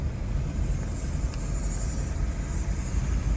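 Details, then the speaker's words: 2017 Chevy Malibu driving after replacing both rear knuckles (worn lower bushing), shocks already new: steady low road rumble from inside the car, no knocks or clunks from the rear suspension, even under hard braking. "I can tell right away that the noise is gone right away I don't hear anything"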